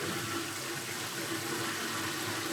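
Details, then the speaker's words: Reef aquarium overflow primary drain with gate valve being closed in quarter turns: steady rushing water with bubbly gurgling; gate valve still untuned, should be closed until bubbles and gurgling stop. "we'll know that we've properly tuned this overflow system when we've got no bubbles in the overflow system or minimal bubbles, and we don't have that gurgling noise you can hear up the top."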